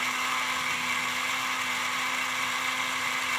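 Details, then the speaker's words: Burlington GP20 model locomotive after cleaning and lubrication: smooth, steady high whir with even tone, no chirping or squeal, previously chirped like an angry chipmunk; runs clean and healthy. "It's not chirping like a angry chipmunk anymore, is it?"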